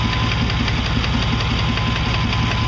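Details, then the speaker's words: Chevy truck engine with a regular low knock tapping along with engine speed, starting before 2,000 rpm and getting louder. Owner suspects the flexplate, not a rod; the truck also has coolant and exhaust leaks. "I don't know what the hell it is, but pretty sure the motor's gonna fucking blow up soon. Fucking flex plates."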